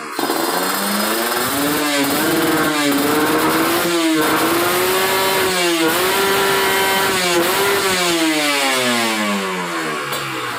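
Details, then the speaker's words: Ninja RR two-stroke with PWK30 carb, main jet 140 (stock 138) after adding a ground "kabel setan" wire, free-revved, engine just started: crisp repeated blips climbing cleanly to high revs, no stumble, limiting below 13,000 rpm; normal. "Nah, sampai situ ya. Jadi nggak sampai lebih dari 13.000 ya teman-teman."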